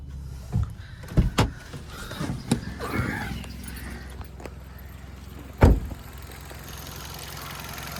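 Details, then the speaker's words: Hyundai Verna 1.6 petrol with 34,000 running, well maintained with no leaks. A quiet, smooth idle hum with some door and cabin clunks, no ticking or rough beat; the engine sounds normal. "ইঞ্জিনৰ sound একদম normal sound, কোনো ধৰণৰ একো অসুবিধা নাই।"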